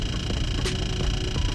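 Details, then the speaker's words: Dodge 300 Hemi: light, regular ticking about three per second over the engine rumble from the dash, fans off; began after pulling out of the garage, first mistaken for door chime, stopped when door closed; failing blend door actuator. "no clue what that is my fans are turned off and it started when i pulled the car out of the garage and i opened the door"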